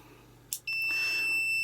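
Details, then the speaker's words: Atari ST power switch (parts salvaged from eBay, suspected slightly shorted over years), temperamental before; after a click a steady high-pitched continuity tone holds unbroken as the closed contacts now conduct, suggesting an easy power fix. "it's very temptamental now i can move i can whittle it's now giving me the beep"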